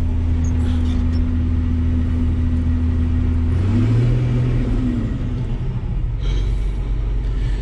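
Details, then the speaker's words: TR96 combine, first start since 2017, 3,100 engine hours, half tank of fuel: deep steady diesel drone, pitch lifting slightly then settling, no knocks or misses; engine runs clean. "sounds good i still have a half a tank of fuel this thing has 3 100 hours on it"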